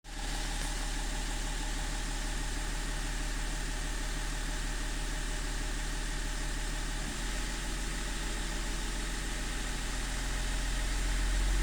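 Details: E39 engine idling with an uneven, lumpy pulse and slight hunting in speed, no steady rhythm; a rough idle of unknown cause.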